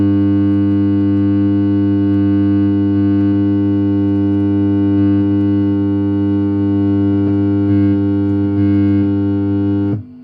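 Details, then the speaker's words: Fender Princeton Chorus 2x10 solid-state amp on a current limiter, broken snap-in tabs on the main filter caps: loud, steady mains hum with buzzy overtones that suddenly drops out, from dry-jointed filter capacitors. "So these capacitors are dry jointed."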